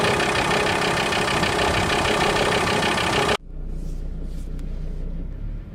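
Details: VW T4 2.5 TDI (ACV engine) diesel: rough idle with a fast knock about three per second, then the engine note drops away abruptly; noise disappears with a little throttle; knocking at idle.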